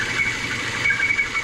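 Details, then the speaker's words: Citroën C4 hatch engine at idle: a steady, thin high whistle that never changes pitch over a quiet idle, from a leaking PCV valve on the valve cover, a common fault; a new valve cover was bought to fix it. "esse aqui é o famoso defeito no setor Oeste i um barulho muito chato a pessoa termina tocando várias coisas e não detecta o problema"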